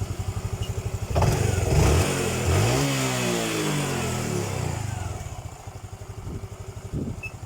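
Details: Honda Supra FI, rough stumbling running when revved. The O2 sensor reads a fixed 3.9 V instead of swinging 0.6–0.8 V. Injector pulse is 3.2 ms at about 100° versus the usual 2.x ms. Owner suspects the O2 sensor is faulty or damaged, or a fuel delivery issue.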